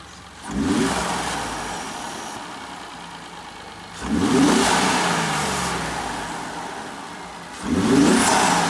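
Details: 2017 Ford F150 EcoBoost just after installing a K&N Series 63 cold air intake with the sensor refitted in its grommet: three clean rev blips fall smoothly back to a steady idle with no misses, knocks or rattles; normal revving.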